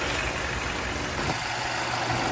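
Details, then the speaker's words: Mercedes-Benz GLA 250 petrol engine idling after the oil filter housing was reinstalled, having run low on oil: smooth, even idle with no knocking, ticking or whining. "This thing sound good up top and down the bottom."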